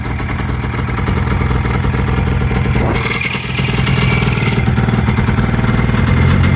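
Rapid, buzzy two-stroke beat that holds an even rhythm and picks up cleanly as it revs; it sounds like a healthy running engine.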